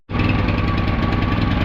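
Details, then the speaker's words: Small engine on a farm feed cart with a loud, lumpy, rough-running beat. Owner suspects fuel: a plugged fuel line, a collapsed or plugged internal filter, or plugged carburetor jets from gum. He plans 2+2 treatment, then Seafoam. "Usually when it runs like that, there's something wrong with fuel. It could be the fuel line's plugged."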